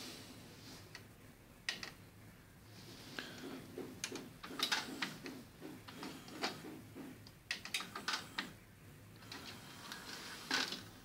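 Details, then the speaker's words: Sony HCD-H881 1990s hi-fi 3-CD changer after replacing melted drive belts and cleaning oxidized mode switch contacts: light crisp clicks and whirring as tray loads and changer cycles, no slipping or grinding; working normally. "je suis en train de remonter la chaîne comme on voit ça fonctionne"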